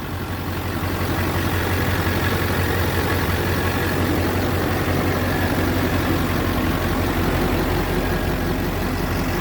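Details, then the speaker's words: Duramax LBZ diesel after head gasket replacement (owner blames LBZ tick on head gaskets), all 8 injectors replaced and eBay EGR delete pipe fitted: steady, even idle with deep drone, no ticking or knocking; normal idle, tick gone. "Of the head gaskets, and ever since I did the head gaskets, all the ticks are gone. I'll start it up here in a second. And you can hear we're tick"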